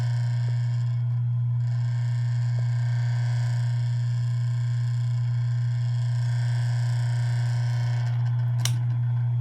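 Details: Asahi PF 620 electric fan, recently fixed with upgraded stator and capacitor and sanded shaft, running with a heavy low hum, buzzy rattle and sharp clicks, louder than usual.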